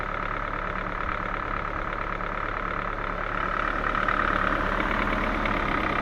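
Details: Ford 1.6 engine, warmed up but restarted after a 10-minute stop: idle with a steady rapid tapping, roughly four per second, over the running sound; internal knock of unclear cause.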